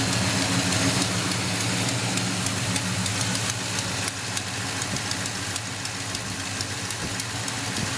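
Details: 1972 Monte Carlo V8 at steady idle with a sharp, quick ticking puff on every firing pulse, typical of an exhaust leak near the manifold.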